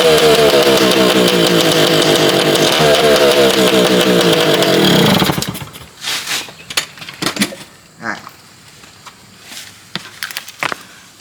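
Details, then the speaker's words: Yamaha PW80 two-stroke after fixing a big exhaust leak, silencer not yet fitted: crisp, even two-stroke buzz for about five seconds then shut off, no chuffing; much quieter and healthy. "so she's a lot quieter now that we don't have a big old exhaust leak"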